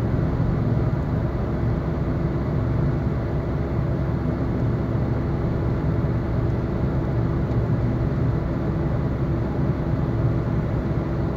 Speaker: be aware that this is the final phase of the problem and that the wheel bearing is on its last legs if you keep driving you're at risk of the wheel blocking